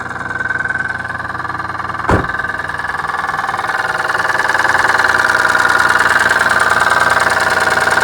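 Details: Rebuilt 6G72 engine in a Dodge Stealth on first start, with no power-steering or A/C belts fitted so only the crank spins: a steady idle with a regular knock about four times a second. The owner thinks it still knocks; the source is not yet pinned down.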